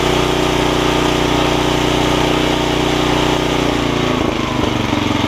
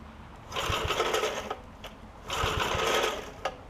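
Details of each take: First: Snapper tiller with 5 hp Briggs & Stratton engine after stuck-valve fix, pull-rope bearing lubing, new carb diaphragm and jet readjustment: starts right up and runs steady and even, changing speed cleanly, no misses. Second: Snapper 5hp Briggs tiller, two starter rope pulls each giving a harsh rasping screech with low thumps; pull rope bearings needed lubing; engine also had a stuck valve fixed and torn carb diaphragm.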